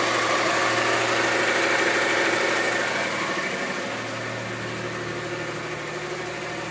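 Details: VW Passat idling evenly with a steady high whine holding its pitch; whine of unknown origin.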